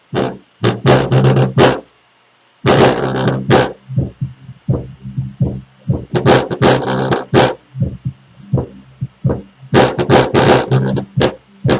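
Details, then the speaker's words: Speaker box playing bass-heavy music: a harsh buzzing rattle on each strong low note. Pressing the cabinet stops the noise. The wooden panels have come open, and the speaker itself is not at fault. "vocês estão vendo meus amores quando eu aperto ela o barulho o barulho para quando eu o sol que continua quer dizer então que essa caixa está trabalhando aberta tá ela tá aberto aqui essas madeiras dela aqui"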